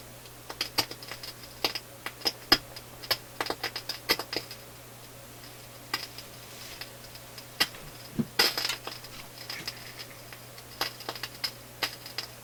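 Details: Philips console stereo receiver on auxiliary input, no program playing; random sharp crackles and pops over faint hum from both speakers, mostly one channel; intermittent crackling and popping, source not yet found.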